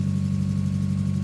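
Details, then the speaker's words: Mazda MX5 after new HT leads fitted for a misfire: lumpy idle with low uneven throb, engine still shaking, slightly better from the rear and starts quicker; rough idle, misfire persists. "the engine is still shaking like hell it does sound slightly better from the rear"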